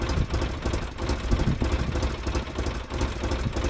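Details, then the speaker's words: 2005 Polaris Ranger XP 700 EFI, old and tired, rough lumpy idle that surges and stumbles, nearly dying, with backfiring and white-gray smoke and a suspected exhaust manifold leak; fix was cleaning the TBAP sensor and throttle body. "it it wanted to die in idle a couple times and on the drive over it was backfiring and smoking what looked like white or gray so that's not good"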